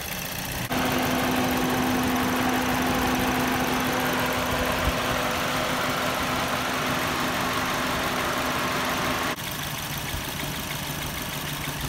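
Idle with an uneven, lumpy beat of about four pulses a second under a steady hum, so one cylinder is misfiring. Cause suspected, not confirmed.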